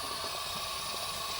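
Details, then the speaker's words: SN95 Mustang with a cheap eBay radiator and a wrongly wired cooling fan: engine overheated and boiling, steady high hiss of steam escaping at a radiator hose clamp. "what is that what is that Brandon coming out right there right out of the hose the hose clamps bro"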